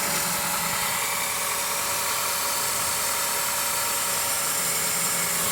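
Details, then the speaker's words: 2006 Honda Element at idle: steady mid-pitched whine over the engine from the power steering pump drawing air past leaking o-rings; fixed by replacing the o-rings. "the vibration right here it's just a loud long sound well there's o-rings here and here and those o-rings let in air"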